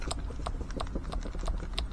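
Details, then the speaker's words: Mitsubishi Lancer Evolution 1 60 mm throttle body, freshly serviced with new shaft seals and TPS for a 4G93, worked by hand: light, crisp clicks about three times a second from slight side play under 1 mm, normal. "a toujours aussi un petit jeu latéral mais il est beaucoup plus faible moi je dirais que c'est même pas millimètre, donc c'est pas mal du tout."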